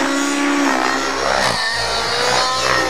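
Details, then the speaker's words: Nitro RC helicopter in flight, not yet warmed up and last flown the day before: a high, steady buzzing motor under load with a slightly soft, blubbery edge. It is running slightly rich and needs leaning. "But as you can see, I'm slightly rich. You can hear the motor, I'm a little bit"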